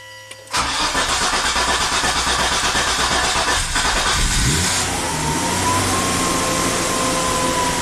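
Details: 2004 Volvo XC90 T6 twin turbo AWD, usually crank-no-start or stalls within 10 seconds, MAF and crank position sensor codes: starter churns about four seconds before firing and settling; long crank, cause not yet found.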